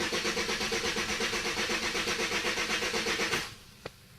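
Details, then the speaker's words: 2003 Chevrolet Malibu LS 3.1 V6 with full tank, fuel pump heard priming: starter cranks steadily at nearly three turns a second for over three seconds with no catch; it ran on carburetor cleaner, cause still unknown. "I can hear the fuel pump prime. All the lights come on, all the lights go off. Nothing. That's all it does."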